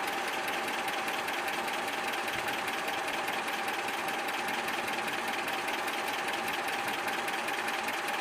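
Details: ZMZ 402 engine, cold, not yet warmed up, idling about 550-600 rpm, oil pressure about 3.5: light sharp metallic tap about two and a half times a second; piston pin knock from play between pin and connecting rod on all 4 cylinders.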